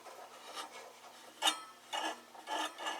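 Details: Valiant transmitter plate tuning capacitor turned by hand: dry, uneven rasping scrapes from plates dragging on each other; near the dip point it arcs between the plates.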